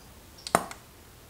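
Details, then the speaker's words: Godox SK400 II studio flash after repair of Error E3 and low power, three damaged C3 parts found, power raised: sharp pop as it fires, clean high ready-beep about a second later. Firing and recycling normally. "mantap ya teman-temannya tuh Hai suaranya dengerin Hai wow mantap lampu di tempat kita sampai ngeduk gitu ya kalau tarikannya bagus ya"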